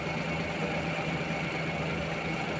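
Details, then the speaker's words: Suzuki minivan D63 petrol engine idling with aircon on: uneven shaky low beat making the body vibrate; cylinder 2 misfire with intermittent check-engine light despite new plugs and coil, traced to valve clearance (tight exhaust valve). "Yan oh. yung body ay talagang nag-vibrate."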